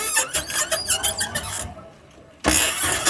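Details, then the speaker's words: New electric tricycle, only days old, while driving: shrill pulsing squeal following wheel rotation, louder on pulling away, turning and heavy load; wheel bolts tightened and half-shafts and bearings checked fine; drivetrain source still unfound. "从声音上区分，应该还是传动部件发出来的声音，因为它是随着轮子的转动产生的噪音。"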